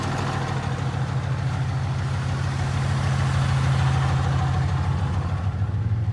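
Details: 2015 Ram 2500 6.7 Cummins with G56 6-speed manual, 76,387 miles, at idle: heavy diesel with a steady low metallic chatter from the clutch, worse with the clutch pedal pushed in; clutch rattle at idle.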